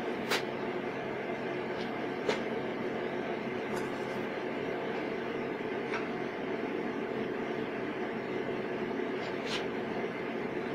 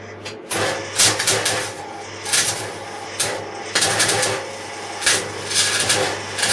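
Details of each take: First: MIG welding at maximum voltage on 1/8 in (3 mm) metal with shielding gas at 3 L/min: a steady, even frying crackle with only a few sharp pops, the wire speed set correctly. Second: MIG welding 3 mm (1/8 in) metal, voltage at maximum, shielding gas at 3 L/min: wire speed raised while welding, uneven hissy arc firming into the crisp crackle of correct feed. Wire feed speed too slow, then correct.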